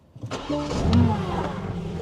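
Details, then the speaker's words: BMW G80 M3 rebuilt from a wreck with a replacement engine, first start after adding gas to an empty tank: brief crank, catches at once and settles into a steady, even idle without stumbling. "And as expected, with some gas in it, it fired right back up and stayed"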